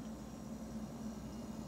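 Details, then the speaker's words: 13-year-old GE side-by-side refrigerator, model GSH25KGRW, after replacing two damaged electrolytic capacitors on the main control board: no more clicking, a quiet, even steady hum as it runs normally and cools to temperature. "Let's see if this fixes it. No clicking. Sounds like it's working."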